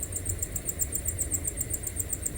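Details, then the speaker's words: Maxxair Fan Deluxe RV roof vent fan on low setting: high, thin chirping about seven or eight times a second over a low fan hum, like birds. It is a squeaking motor bearing present since new, from a bad batch of motors. "One is, from day one when I bought this RV, on the low setting, this fan would cause a constant squeak."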